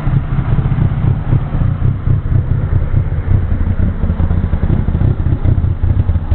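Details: Opel Corsa engine at idle: uneven, lumpy beat with a low rumble that wavers instead of holding steady, a rough idle.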